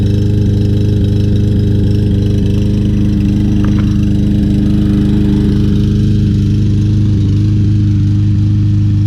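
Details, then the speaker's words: Troy-Bilt TB200 mower, 150cc Briggs & Stratton 625EX engine, carburetor cleaned of debris, flywheel key replaced: steady single-cylinder drone with an occasional dropped beat, a slight miss at running speed; engine misfire persists, cause unknown. "definitely can hear that miss any suggestions let me know very nice mower just not quite running right"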